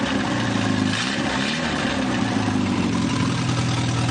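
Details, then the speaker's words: Newly rebuilt 2.1L TR4A four-cylinder, first run test, revved to about 3,000 rpm: loud open-pipe drone climbing and settling smoothly, no knock or miss, little vibration; healthy engine revving. "I'd say it's balanced pretty good. I'm pretty pleased with how that does. It doesn't vibrate very much when it goes up to speed"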